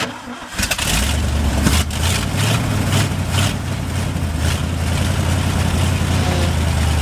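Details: 1971 International 1890 plow truck abandoned since 2001, revived after carb rebuild and new fuel line. Engine catches after a brief crank and settles into a steady, even low idle without stumbling; normal idle.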